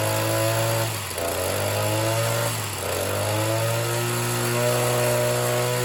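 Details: Oleo-Mac BC240 strimmer, assumed 24 cc two-stroke, after spark plug clean and warm-up; revs sag and recover about every 1.5 seconds instead of holding, won't rev up properly; owner suspects blocked tank fuel filter or low-side tuning.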